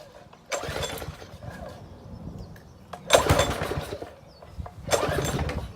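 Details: Free gas pressure washer, pump bled of air, replacement hose fitted: three pulls on the cord, the small single catches and runs briefly each time with a rough putter; the engine starts.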